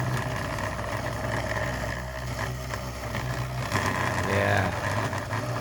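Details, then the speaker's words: Large 3D-printed rotor motor, rotor housing on inserts not bearings, spinning true: steady low hum with irregular buzzy rattle; suspected loose items on the table vibrating, not confirmed; rattle. "still making a little bit of a rattle [Applause] so it was going much smoother earlier it's running perfectly true making a lot of noise"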